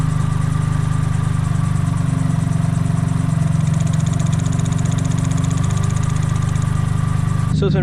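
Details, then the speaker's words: Suzuki Cappuccino after idle-issue work, after about 5 minutes running: low even hum holding around 1100 rpm with no hunting or surging, much quieter than before when it sounded like an exhaust leak; normal idle. "for like 5 minutes now it's been holding at where it belongs to be around like 1100 I don't mind that at all it's just crazy how quiet the car is now"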